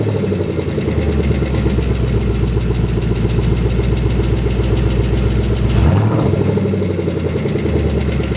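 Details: 2011 Mustang GT engine on first start after install, idling: a light, fairly quick tick over a steady V8 idle with a brief blip; owner suspects an exhaust leak from a back section not fully attached.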